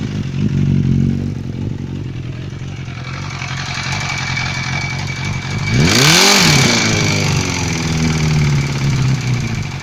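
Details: Suzuki GSF 600 motorcycle engine idling with a steady tapping of about four knocks a second, then a quick rev blip; engine knock of unknown origin.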